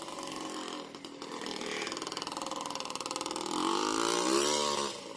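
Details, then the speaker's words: Yamaha Blaster two-stroke on its first ride after a rebuild: crisp buzzy note climbing cleanly with throttle, even pulses, no misses or bogging; more torque, pulling well in second gear, engine healthy. "it has a lot more torque oh wow that second gear it's definitely got good conversion"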